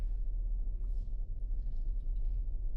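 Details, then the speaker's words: 2023 Hyundai Palisade after replacing the rear differential (AWD) coupling assembly: slow right turn in a parking lot gives only a soft, even low rumble. The thumping that started from about 25 mph is gone; the driveline sounds healthy. "It is gone. Yep. No more noise. This is fixed, guys."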